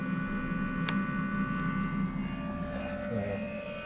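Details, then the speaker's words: Campervan diesel heater running after a failed rheostat control switch was dealt with: steady, smooth whirring hum with a low drone and fixed tones, now firing up and burning normally. "And you can hear it firing up nicely now."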